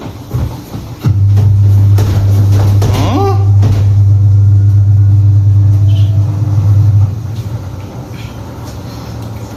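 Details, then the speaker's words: Automatic washing machine about 5–6 years old, drum banging during spin, after replacing all four suspension rods: smooth, even low hum about six seconds then winding down, no drum knocking; spin normal, fixed. "看到没有？现在也不撞了，是不是？现在这个就修好了，"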